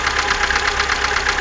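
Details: 2005 VAZ 2107 fuel-injected at idle, formerly quiet: fast even ticking rattle about ten taps a second in the top end; owner suspects valves, worn timing chain or camshaft, not confirmed.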